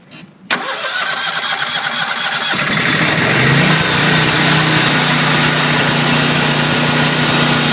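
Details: Briggs & Stratton 20kW whole-house standby generator (same unit as GE/Rheem 20kW), newly DIY-installed, started manually: short crank, catches and settles into a loud, steady, even run with no misses; normal start-up and idle.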